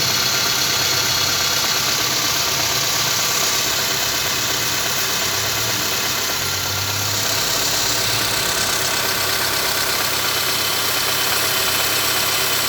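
Steady idle with a light regular knock, close to three a second, riding on a hissy background; knocking noise, cause unclear.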